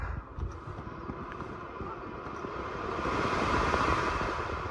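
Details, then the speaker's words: 1990 Mercedes W124 Tempmatic HVAC with newly replaced blower motor (old one nearly seized, wouldn't start below speed two); now starts instantly in speed one, steady even airflow, no squeak, tick or rub. Normal blower running after repair. "absolute silence as far as the motor is concerned no squeaks and lots of airflow"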